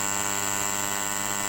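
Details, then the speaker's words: Square 940 W, 5 A double-CT transformer, newly rewound, primary winding tested at 220 V with the I-core left loosely gapped: a loud, steady electrical hum with a buzzy edge and no crackle or rattle, normal under test. "Ini bersuara dengan keras. Terasa cukup untuk pengetesan gulungan bagian primer."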